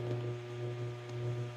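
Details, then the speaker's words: Server room during fiber troubleshooting: a steady deep hum with a faint higher drone, swelling and fading about every half second. Vibration from the air handler next door is shaking the whole room. "you can hear that vibration but this this whole room is shaking and it's from this air handler next door here"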